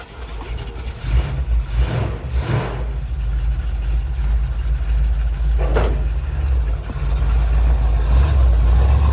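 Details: 1979 Ford Bronco V8 after a restart from sitting: a deep rumble climbs smoothly through several quick throttle blips and settles back to a strong, even idle, no misses or knocks; it still rips.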